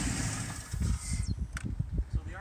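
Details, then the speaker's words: 2008 Pontiac G8 GT V8 suddenly idling rough: uneven, lumpy idle with irregular low thumps and a stumbling beat, feels not on all cylinders; smooths at 2000 rpm; owner suspects dirty MAF, throttle body or throttle position sensor; misfire suspected. "It's got a little bit of a shake to it, and it feels like it's not running on all cylinders."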